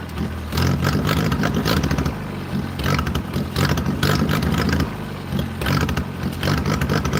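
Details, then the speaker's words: 1940s wood splitter with a crank-started International Cub engine, cold and on choke, on a wet foggy day. Uneven, lumpy running surges and sags every second or two, nearly dying while the choke is worked; rough running near stalling. "Oh, we're close to starting. See how it wants to die. I'm finessing the choke right now."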